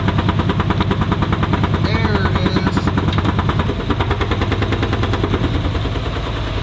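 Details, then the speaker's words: 1985 Buick Riviera 5.0L 307 V8 at idle: steady rapid knocking at about three per second from the rear, a broken baffle in the rusted-out rear muffler, misdiagnosed elsewhere as engine knock; the engine itself runs well. "That knock, you guys, well, you're not hearing it anymore. That is from the muffler in the rear. It is simply rusted out."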